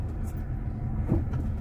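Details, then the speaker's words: 1978 Honda Civic, driving without hard acceleration, choke closed for a while: a deep, smooth engine drone with even pulses and no knocks or rattles. It runs and drives nicely. "sounds really good. So there we go. Alright, well, let's get out of the speed here. Oh yeah, it runs and drives really nicely, actually."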